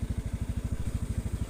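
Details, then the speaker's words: Honda Scoopy scooter that hesitates with a cold engine in the morning: when throttle is opened at low rpm (2000–5000) it intermittently stutters; uneven low putting idle, stumbling at low revs. Cause suspected, not confirmed. "kalau gas ditarik gas bawah ya RPM bawah itu kadang tersendat-sendat"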